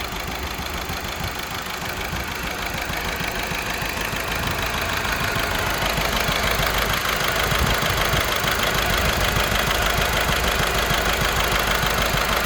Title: 1.6 CAYC Misfire